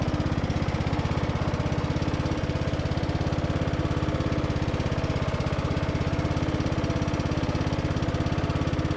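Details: Briggs and Stratton–powered Craftsman DLT3000 riding mower on test drive with deck after no-start repair: quick even single-cylinder thump at steady speed, no knocks or scraping; engine and deck healthy.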